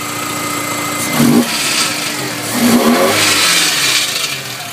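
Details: VW Jetta Mk4 2.0 petrol engine revved twice: harsh buzzy rattle rising with each rev. The car also has an obvious exhaust leak and a burnt-wood campfire smell; the cause of the rattle is unknown.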